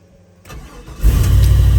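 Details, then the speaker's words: 1995 Impala SS 5.7 LT-1 after Opti-Spark replacement, not run for about a week, oil at full mark; cold start with brief crank, catches at once and settles into a smooth even idle: normal cold start. "Ah! All right, cold start."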